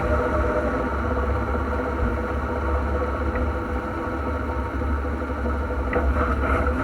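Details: NP231J transfer case (post-1997) making a steady low drone with a faint constant tone and no knocks; cause unknown, to be found on teardown.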